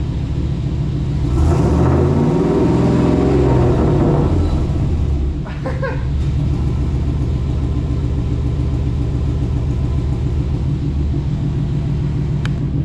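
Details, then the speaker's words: 2000 Chevy K2500 flatbed, 350 small-block V8, after new no-weld stainless exhaust and muffler: deep rumble swells with a quick rev then settles to steady idle; a little loud, no leaks or ticking, no check engine light. "Oh. She's a little loud. So, we'll see how long this muffler stays on it, but so far, no check engine light, I don't think."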